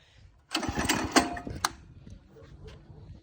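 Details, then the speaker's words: Go-kart small engine with a new 30mm carburetor, revved on a stand: sputters roughly, pops once, then cuts out; it keeps stalling. Owner suspects fuel intake or choke, cause unconfirmed. "oh I need to turn it on again cuz it just [Music] died oh it keeps dying I think it's taking in [Music] fuel and suck choke it"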